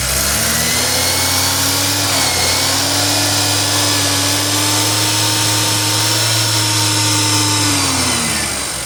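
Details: BMW N20 engine at 133,000 miles, recently bought: busy metallic chatter and whine that follows engine speed; owner asks if normal, timing chain rattle suspected but unconfirmed.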